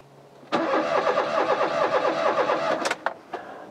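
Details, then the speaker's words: Rover 216 convertible not starting, distributor rotor changed in the dark: starter cranks about three times a second for two seconds without catching; no spark because the coil lead was left off the distributor. "it tells you why this car's got no spark it's gone from a weak spark to zero spark"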